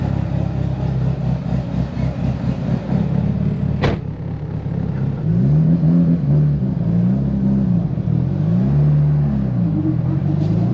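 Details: Tial BOV just installed on a car started cold that morning: lumpy engine note that sags and hunts as throttle opens, bogging at idle; owner thinks it feels like fuel cut but smells very rich, cause unconfirmed.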